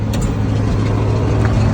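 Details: 1963 International Loadstar truck, freshly started with the choke pulled slightly. Even, steady low V8 rumble at idle with no lifter ticks or misses; a healthy, smooth idle.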